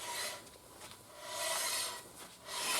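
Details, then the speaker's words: BMW 650i front wheel turned by hand after new rotor install and brake pedal pumped: soft, even rasping swells with no catches or grinding; pads drag evenly and consistently on healthy rotor. "all right so with our brake pedal pump a few times now when I rotate it you'll hear"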